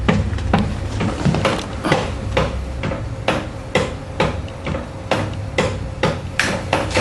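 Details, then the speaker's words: Windshield washer motor being installed and test-run through the wiper switch: a sharp click about every half second over the low motor hum. The owner suspects a broken plastic piece on the washer pump, or a coil not engaging; unconfirmed. "I think the washer pump make that broken piece of plastic that clicking you hearing them"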